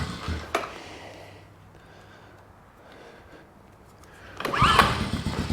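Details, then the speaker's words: Restored 2003 Honda TRX 90 ATV, fuel on, briefly choked, key start: a few clicks then the small engine catches at once and revs cleanly; normal start after new brake cables. "there we go but she fires and runs really really well"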